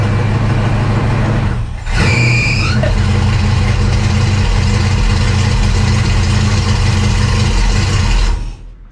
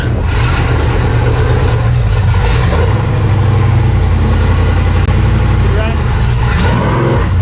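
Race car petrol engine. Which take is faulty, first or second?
second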